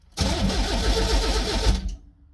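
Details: 1984–86 Pontiac Fiero, sat five to six years, no fuel pump heard at key-on: short burst of rhythmic starter cranking with no firing; cranks but no start, and the coil is later found to give spark.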